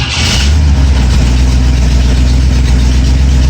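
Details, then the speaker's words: Engine started with choke on and no throttle after fixing a shorted resistor coil that made the starter slam the flywheel; catches at once into a steady even low idle, with a known exhaust leak awaiting a gasket; runs normally. "fires up I still have my nice exhaust leak I showed you we have a gasket to fix that that sounds pretty good"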